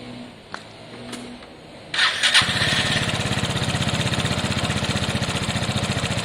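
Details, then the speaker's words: Piaggio Fly scooter started after engine reassembly. Quiet ticks, then it settles into an even, steady single-cylinder beat with no rattle; runs cleanly. An airbox bolt had rolled out. Normal running. "i'm happy with that um what rolled out are one of the bolts for the air box um i'll chuck that back in uh yep absolutely happy with that sounds great"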